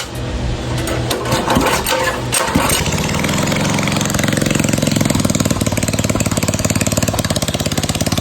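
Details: MB200 minibike with a newly fitted Juggernaut 30 Series torque converter and makeshift bolts: it cranks and catches, then settles to a fast, even single-cylinder putter with steady beats and no knocks or misses; running fine.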